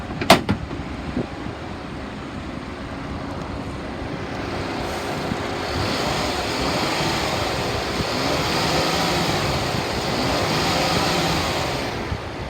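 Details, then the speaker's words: 2016 Ford Taurus Police Interceptor, 59,296 miles, 7,957 engine hours, front collision damage, check engine light on: idles evenly, revs smoothly and settles back, no knocks, rattles or misses; healthy engine. "Motor sounds good, it revs up nice."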